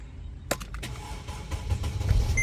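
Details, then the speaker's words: 2008 Mercedes R-Class, believed 320 CDI diesel, after fixing no-start/no-OBD-connection problem with water in carpet (suspected AC condensation flooding modules), on jump box: starter whirs briefly, diesel catches and runs steady without knocks; normal start, now goes into gear. "yeah here we go the car starts and most importantly I can actually get it in gear"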